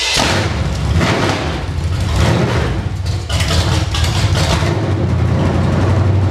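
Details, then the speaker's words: Engine pulled from Creampuff, first fire-up on a test stand with open headers and no load, running on fuel left in the carburetor, water pump belt off. Deep rumble that rises with throttle blips, crisp and even, no knocks; runs healthy and snappy. "And being open headers and no load on it, this motor sounds way better than it ever did. That's awesome. Pretty snappy."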